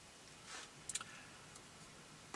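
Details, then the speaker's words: Few crisp, sharp clicks over a quiet room, no motor whir, as the column lock relay changes state when commanded to lock with key on via GM Tech2 on a C5 Corvette; normal relay click. "if we try to lock the column you'll see just one of these actuators States change can also hear the relay change States"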